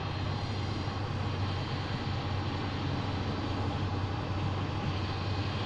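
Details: 2007 Subaru Impreza 2.5i manual, nearly 60,000 miles, driving: steady high whine over road rumble that recently began, pointing to the manual transmission; cause not identified.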